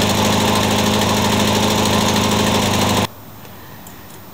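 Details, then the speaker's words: Troy-Bilt TB360 mower with aftermarket carburetor: uneven pulsing chug about four beats a second, then cuts out; rough running blamed on the poor aftermarket carburetor. "I think you could probably hear this thing chugging I'm not impressed with this aftermarket carburetor"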